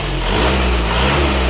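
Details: Isuzu Panther diesel at about 71°C after the sunken cylinder 4 liner was flipped and new piston rings fitted; no blow-by at the dipstick. Dense, even idle with a steady low drone, described as very soft, with no knocking or rattle; healthy.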